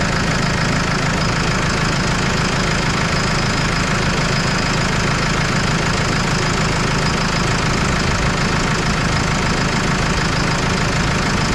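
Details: Case 75C tractor diesel after a no-crank electrical problem, jump-started, alternator reading 14.26 V steady; loud, steady diesel clatter at even idle with no misses or surges: normal idle.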